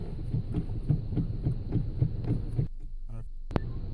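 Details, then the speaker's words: 2011 Hyundai Sonata, 44,000 miles: dull low thumps about twice a second as the wheel is turned, a knock in the steering column from the worn flexible steering coupler, covered by an extended 10-year/100,000-mile warranty. "It's a knocking on the column. Really common with the Hyundais."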